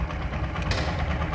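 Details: TVS Apache RTR 4V single-cylinder bike, engine noise problem addressed with piston ring, camshaft, timing chain and rocker arm work: short burst of steady low idle thump with no knocks or rattles. Normal idle.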